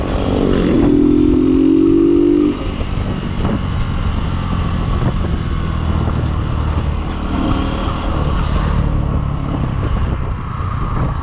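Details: Kawasaki Boxer 150 on a road test after conversion to a 4-pin CDI, replacing the failed original: steady engine pull with smooth even beat and a brief rev at the start, no misfire or stumble; normal running.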